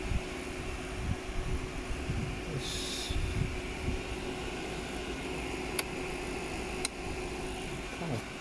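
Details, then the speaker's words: Honda ST1300 after alternator replacement and a new battery, ignition on, engine not running: steady airy whirr as the cooling fans come on immediately, which is unusual; cause unknown. "Right, so got ignition, fans come on straight away, which is unusual. Wasn't expecting that."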